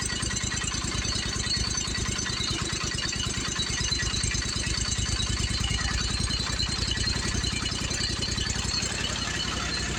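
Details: Commercial Briggs & Stratton 25hp V-twin on a Simplicity Champion XT zero turn, heads replaced after a pushrod problem, idle just adjusted. Steady, even firing with no misses or knocks. Mower judged in good shape: normal idle.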